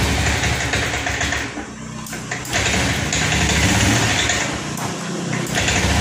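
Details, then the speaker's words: Honda Scoopy ESP FI automatic after tank cleaning, ECU reset done, fuel pressure normal, EOT sensor fitted; revs then sags and nearly dies twice, still sputtering/ngempos; spark plug checked next. "Oke teman-teman, di sini masih ngeberbet Pak, masih ngempos. Padahal sudah kita reset, tekanan full pump sudah kita kasih di angka normal Pak ya."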